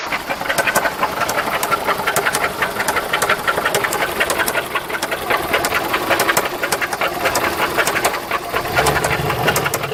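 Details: VW Golf 3 engine at idle: sharp, regular ticking knocks, several per second; abnormal engine knock of unknown cause.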